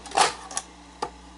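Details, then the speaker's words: Sanyo 4000 Beta VCR after new belts and idler tires: three sharp, uneven mechanical clicks from the tape transport in a quiet room; abnormal mechanism noise, owner suspects a servo or tape problem. "you hear the sound too it doesn't sound right so um yeah it's got a problem"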